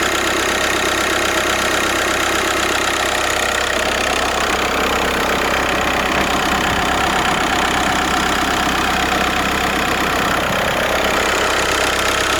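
Diesel idling with a gritty, rasping hiss laid over the usual clatter, pointing to a failing alternator rather than the engine itself.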